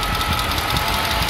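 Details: BMW E60 petrol engine idling after fuel pump work, charcoal canister solenoid just reconnected: fast, light tick riding over the hum; owner suspects lifters, cause unconfirmed.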